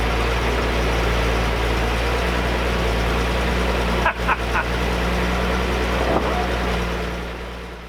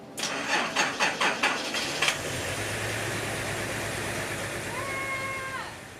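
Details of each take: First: 1978 Datsun 280Z, sat about 20 years, running after a battery charge: a steady, even low idle with a regular beat and no knocks or misses. Sounds normal, though the owner suspects many vacuum leaks. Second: 1978 Datsun 280Z, sat about 20 years, after two days fixing a burnt-out fuel pump, a sulfated battery (10.8 V) and gummed injectors: cranking pulses, then a low, slightly uneven idle. Rough running, cause not confirmed.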